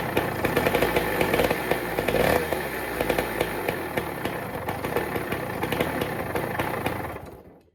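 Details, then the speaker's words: Yamaha PW80 two-stroke barn-find dirt bike with no exhaust fitted: loud raspy open-pipe burble at low revs that sags and dies; won't hold idle, owner suspects idle needs turning up. "As you can tell, it starts and runs pretty good. It just doesn't idle."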